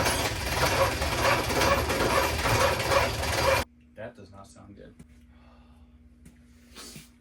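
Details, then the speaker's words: 1981 Oldsmobile Cutlass cranks laboriously about two turns a second for three and a half seconds without catching, after rebuilt starter with new drive unit and solenoid on old body and nose cone; pieced-together starters no better. "I tried piecing together 60 different starters and um yeah none of them wanted to work any better than that one"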